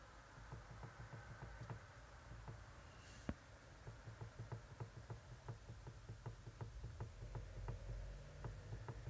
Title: 1/2 Ťukání v řízení Toyota Prius III. & Lexus CT200h Hybrid !!READY!! Steering Rattle Noise Knock